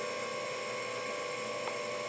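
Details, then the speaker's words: Direct petrol injector on a bench tester, pump running at 4 bar for a leak test with no injector drive; even unbroken high electric whine, no surging, pressure holding, no leak seen. "that's pressurizing the injector internally and I'm looking to see if there's any leak"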